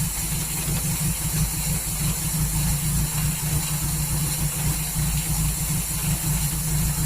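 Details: 1939 Hillman with an AC fuel pump issue, full choke, restarted about 5 minutes after adding water: low uneven lumpy idle with a steady hiss; owner suspects ignition timing is out after adjusting it.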